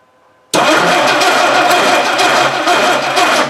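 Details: 1960 Dodge Dart Seneca with a newly installed engine after 10+ years of storage, fuel poured in the carb, no choke: starter spins fast and even for about three seconds with no firing; the distributor drive gear is missing.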